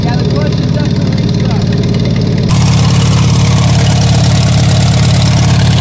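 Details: Farmall 140 industrial tractor, sat in the woods over 10 years, restarted after freeing the stuck engine and valves, on choke with a possibly weak battery and stuck clutch: a low, uneven chugging idle of about three and a half pulses a second, rough and unsettled.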